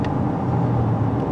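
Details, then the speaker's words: 2006 Buick LaCrosse CX 3.8 V6 that runs rough under load with the check-engine light on, climbing a steep hill at 3/4 throttle: a loud engine roar with a rushing exhaust hiss; exhaust restriction suspected, no surging or misfire felt. "when you're hammering on it you know you can really hear the exhaust hissing"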